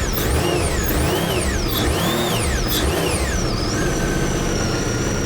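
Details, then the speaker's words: 2021 Sea-Doo RXT-X 300 jet ski, salt-water ridden about 4-5 years without maintenance, run on the hose: rough churning drone with wavering rising and falling whistles; jet pump is shot, with salt water found in the cooler and through the motor. "Oh, I hear the jet pump. All right. I don't know if you guys can tell, but that jet pump is shot."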